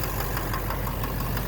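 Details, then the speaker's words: 2009 Silverado 3500 Duramax LMM diesel dually, 59,900 miles, in reverse under load: deep regular knock about six a second over diesel rumble; shifting to park removes load and the sound disappears. Owner suspects bottom end; oil analysis shows no abnormal wear. "And then so you take the load off the engine, park, sound is gone."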